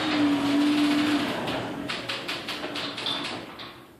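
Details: Raynor Admiral II garage door opener: a steady mid-pitched whine over the motor hum, fading with rattly knocks as the door runs. Loud whine.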